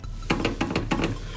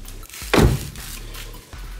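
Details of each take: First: Renault Grand Scenic 3 door rocked when closed: quick rhythmic squeaky creaks, also heard while driving, from the dirty rubber door stop the door presses against; fixed by cleaning it with carburetor cleaner and fitting anti-squeak strip. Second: Renault Grand Scenic 3 front door closing after anti-squeak tape applied; one solid thud, no creak or squeak. Normal door closing, squeaks fixed.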